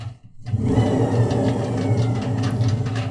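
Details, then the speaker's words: Edesa/Fagor washing machine, loud noise while spinning, like a jet plane: deep gritty rumble as the drum is turned by hand, from worn drum bearings; seal badly deteriorated; bearings and seal replaced. "this noise is multiplied by 100 It is much louder and sounds like a jet plane."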